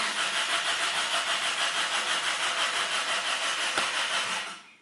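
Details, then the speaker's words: Car cranks on the starter at about three pulses a second for four seconds but never catches, a crank with no start. The owner plans to replace the distributor rotor next; the cause is not confirmed. "now no any starting. Engine, no any engine runs. Only starter runs and rotates this engine."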